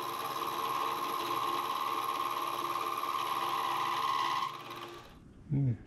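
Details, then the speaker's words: Milling machine cutting a slot while building NT30/ISO30 arbor for 50mm face mill: steady high ringing tone over cutting noise, dropping away as cut ends, cutter chatter; owner suspects dull cutter or quill bearings. "anyway don't think that cut is real sharp either and you can hear that bit of noise in the I don't know whether it's just quill need to in the bearings I don't know"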